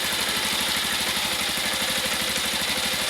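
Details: Motorcycle with a dry battery refilled with distilled water and recharged to about 12–13 V, kick-started: steady, even single-cylinder putter at idle with no knocks or misses; idles cleanly and healthy.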